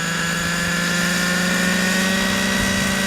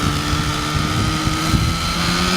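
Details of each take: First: OS 105HZ-R model helicopter engine during run-in, hovering with low head speed and light load: steady droning buzz with soft burbly edge; rich mixture, intentionally rich for run-in. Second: OS 105HZ-R glow engine in an RC helicopter during break-in, needles set rich: steady high buzz with uneven, burbling low end and slight misses; running rich and safe, but it lacks power.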